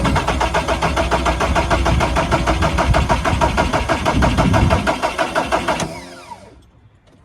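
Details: VW 1.9 TDI (PD130) pickup that won't start: steady starter cranking at about three beats a second for six seconds with no firing, then winding down; fuel delivery and battery ruled out, fault traced to a loose ignition switch wire.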